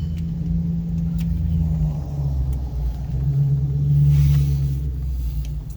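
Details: 2004 GMC Yukon XL 2WD after replacing a bad wheel bearing with a new Precision 515054 hub assembly: the hub turns with a smooth, steady low hum and no grinding or rumble with rotation; healthy bearing.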